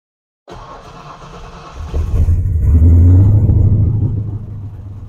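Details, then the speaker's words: Holley EFI HP Dominator car, warm restart after re-tuning the IAC, parked position, cranking fuel, prime percentage and 13.5 idle air-fuel target: it catches after a brief crank, revs up, then settles into a smooth, even idle, much better than before. "good enough for me for now overall I am pretty stoked and much happier with uh the way this thing starts"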